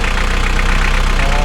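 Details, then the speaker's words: Mitsubishi L300 diesel after timing belt and injection pump timing adjustment for hard starting, white smoke and heavy pull: restarted, it idles with steady even clatter, runs light, no smoke. "Oke, kita coba kita matikan, kita hidupkan lagi, tidak usah dipakai. Ringan, asap juga nggak ada."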